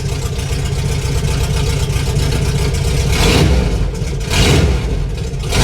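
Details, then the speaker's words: 1988 VW Vanagon run with muffler and catalytic converter cut off, owner believing them clogged and causing engine issues: loud, raw, unmuffled open bark at idle swelling with each throttle blip, "sounds like a race car"; exhaust had also broken at the header. "That's a bus right there. Yeah, boy. Sounds like a race car."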